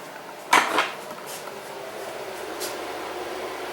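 After a switch clunk the fan settles into a soft, even whir with no rattle or hum; it is running normally.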